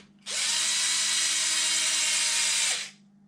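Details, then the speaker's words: Traxxas X-Maxx 8S RC truck, rear diff and cush drive torn down for loud rear noise, trigger tested on bench. High steady whirring scream about 2.5 seconds with faint rough edge. Cause: a worn bearing; diff cups also badly worn. "i'm gonna hit the trigger and see if that's what it was i'd be really shocked if just that bearing as all this was"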